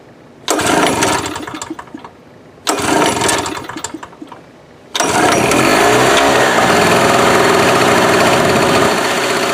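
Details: Cheap inverter generator stored a year in humid barn, old gas with about a cup fresh gas and stabilizer: two short pull-start sputters, catches on third pull and settles into steady even buzz; starts normally.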